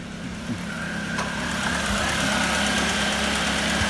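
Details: Car idling after repairing bad earth wiring (gearbox-to-inner-wing earth lead reattached) and replacing the rocker cover gasket: steady, even idle with a faint higher hum as the air conditioning kicks in. Runs smoothly, and the earthing issue is solved.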